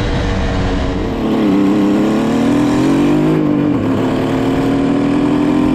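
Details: 1974 Kawasaki H1 Mach III fitted with an H2 750cc two-stroke triple engine, after removing restrictive air filters that caused bogging: crisp revs climb and settle cleanly with no stumble or bogging; pulls freely and sounds healthy.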